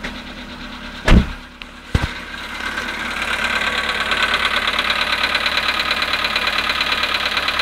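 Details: VW Polo sedan, 18,618 km, cold start at -5.5°C after standing 18 hours: loud start-up thumps, then cold idle with a faint ticking knock; cause suspected but not confirmed.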